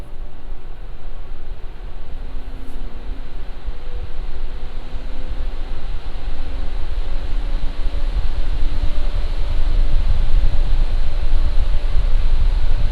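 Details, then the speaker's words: Lian Li Galahad II Lite AIO with original non-ARGB fans, mic about 1 foot from radiator, second Cinebench run after cooldown: airy rush building louder over faint hum, no rattle, ticking or grinding; normal ramp under load. "Now I'm going to run Cinebench, and this is at load."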